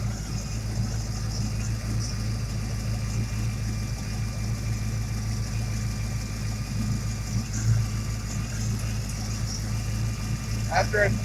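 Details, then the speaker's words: Ford Mustang small-block 351/302 Windsor V8 at idle: thin constant hiss above engine, unmetered air leaking past cylinder 7 injector O-ring despite new bushings and RTV band-aid; misfires at WOT; vacuum leak at injector O-ring. "i just wanted to show you a leaking injector o-ring on cylinder seven"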